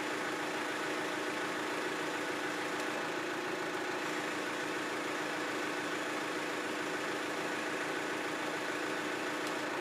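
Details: 1994 John Deere 310D backhoe after auxiliary hydraulic valve repair and rebuilt auger hydraulic motor: even, steady hydraulic drone over engine, no surging, chatter or groaning; auger circuit now runs normally.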